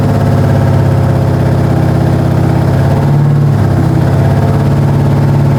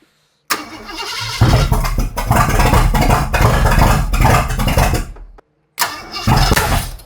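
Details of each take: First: Ford 460 big-block V8 after a camshaft install, held around 2,000 rpm with the timing reset one tooth: a steady, even, deep drone with no knocks or misfires. The engine runs healthy, with a slight valve cover oil leak noted. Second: Ford 460 big-block V8 first fire-up after a camshaft install, with the throttle held up toward 2,000–2,500 rpm for break-in: long cranking catches with loud, sharp backfires through the intake, and the ignition timing is suspected one tooth out.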